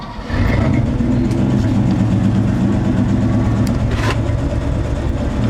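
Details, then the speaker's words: 1961 Chevy Apache after an oil pump change and new spark plugs, starting to come up to temperature: catches right away and settles into a steady, even, slightly higher idle with no misfire; some pushrods show no oil flow yet. "Oh yeah, it's even idling a little higher."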